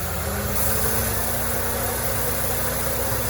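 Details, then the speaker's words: Peugeot Partner idling smoothly and evenly with a steady low hum, no whir, chirp or rumble from the belt side, after the tensioner and pulley bearings found faulty were replaced along with the timing belt; normal idle. "Sudah dihidupkan. Cuma suaranya hilang, suaranya nih udah normal ya."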